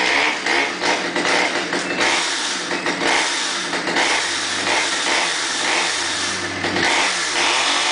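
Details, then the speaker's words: Stihl 009 chainsaw on stabilized gas, first start after 3–4 months sitting: high steady two-stroke buzz, revs up sharply and settles back; idle good, chain brake works, runs strong. "goes idle's good same brake [Music] works"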